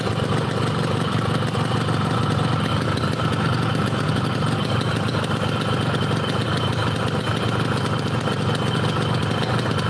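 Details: Yamaha RX King two-stroke, brought in for stuttering at low rpm, after work, hot: steady, crisp idle with even beat, no stumbling or hunting; running cleanly.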